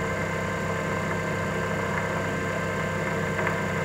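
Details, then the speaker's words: Mopit floor machine brush motor running with idle bearing plate and brush removed: soft, steady hum with no knocking or grinding; healthy motor, so any remaining loud noise would point to drive bearing assembly. "with both the idle bearing plate and brush removed turn on the brush switch you should only hear the soft helm of the brush motor like this"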